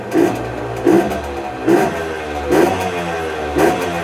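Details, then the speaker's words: Tuned Herkules Prior K50 moped, 50S engine, 5-speed, original displacement, aluminium head, 17 mm carburettor, raised from 4.5 to 7.6 hp: five sharp revs climb cleanly and drop back to a steady idle, running best above 6000 rpm; clean throttle response. "A partir de 6000 tr/min, il tourne vraiment bien."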